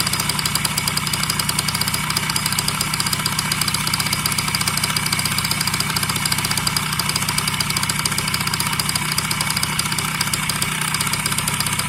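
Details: Yamaha BWS 50 (2JA) scooter idling with a hard, rapid tapping about three per second over the engine note; engine knock, cause undetermined, owner asks what it could be.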